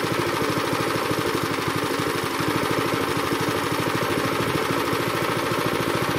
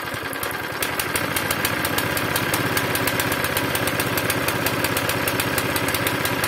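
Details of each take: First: Zipper plate compactor that had smoked, run unevenly and stalled, after cleaning and flushing the fuel system and fitting a strainer, started on choke: the single cylinder runs smooth and even with a steady quick firing beat and no misses or surging, healthy. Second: Zipper plate compactor reported to start, run briefly and die, smoking and lacking power, with very little fuel in the tank: rough, irregular chugging at about three beats a second with hunting speed. Owner plans to clean the tank and carburetor; cause unconfirmed.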